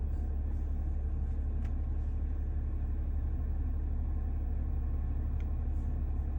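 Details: New AC compressor idling: low steady rumble with a faint repeating pulse around two per second; noisy compressor, cause unclear.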